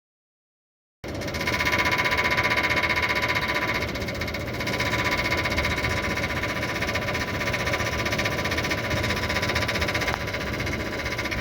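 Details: Voltas window AC: harsh steady rattling knock about four strikes a second, fan blade hitting outer body that rusted and swelled upward over time; fixed by tapping body down with hammer.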